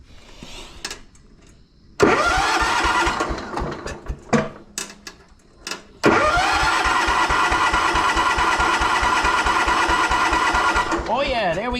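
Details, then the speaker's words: Abandoned 1983 John Deere 210 lawn tractor, after compressed air cleared a clogged fuel line: rhythmic starter cranking in bursts then long steady crank; rebuilt fuel pump now delivering fuel on cranking. "We got it, guys. We fixed it. Fixed the pump."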